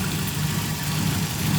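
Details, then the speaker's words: Nissan 240SX petrol engine idling with a steady, even low hum after an ECU issue was found; cylinder 4 now firing, sounds normal though a slight misfire remains. "That is how she is supposed to sound."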